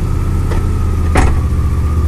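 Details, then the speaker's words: 2002 Chevrolet Blazer: steady idle broken by sharp clank when shifting into or out of reverse, whole car jerks; harsh engagement, drivetrain vibration and gear oil leak also noted, cause unknown. "see it just sounds so bad when shifting its or from reverse to any other gear or in the reverse from any other gear"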